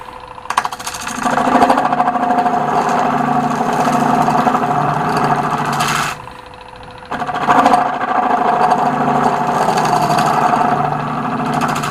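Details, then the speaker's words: Wood lathe cutting a large, thin oak and cast-resin platter with a radiused negative-rake square finishing tool: two passes, each with a rattling buzz and steady squeal-like tone; a little better, but the thin platter flexes and the tool chatters. "it's a little bit better still getting some chatter because of the flex"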